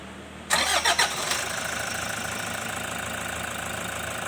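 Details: Toyota Hiace Commuter van diesel after clearing the fuel water-separator filter warning light by unplugging its connector with the ignition switched: brief crank, quick catch, then a steady, even idle with no misses or knocks.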